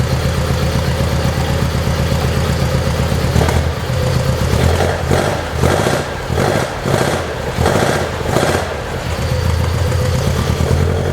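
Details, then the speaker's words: 1972 Saab Sonett in a garage, engine reportedly overhauled by previous owner, unstarted for a couple of months and boost-started: steady even idle with a few clean throttle blips, settling back smoothly; sounds healthy. "I think the motor runs really nice once you get it started um like I said he he uh the old man said he actually um overhauled the motor and and it runs great sounds great"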